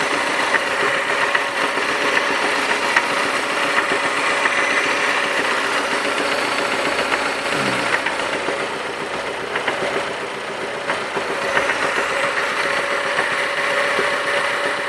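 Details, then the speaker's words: Mazda 6 engine knocking: sharp knock about three or four times a second over idle; a connecting rod bearing shell was confirmed broken up. "Предположительная причина — разлетелись вкладыши."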